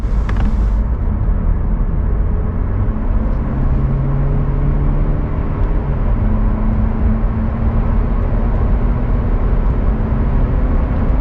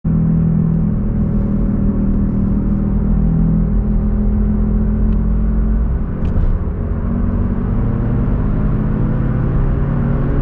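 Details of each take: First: Car rear wheel after the noisy bearing was replaced with a new one, driving: smooth steady road rumble with no growl or hum rising with speed; the new rear wheel bearing runs quietly. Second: Car driving on road: steady low droning growl under road rumble, no knocking; worn noisy rear wheel bearing, later replaced.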